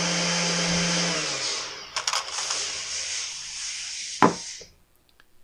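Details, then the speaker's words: Husqvarna T536LiXP battery chainsaw, with the customer complaining of erratic running. The motor whines, sags and cuts out, then surges in uneven bursts instead of holding speed. Erratic motor running, cause unconfirmed. "the customer complaint was that it ran erratically and I would have to agree with him on that"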